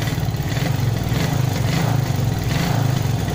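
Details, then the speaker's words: Carbureted motorcycle being treated for misfiring (brebet), heard after a carburetor adjustment: the engine blips up cleanly again and again, picking up revs straight away without stumbling or popping; throttle response is normal. "oh ya langsung naik rpms [Tepuk tangan] sudah lumayan ya untuk bukaan gas Ya"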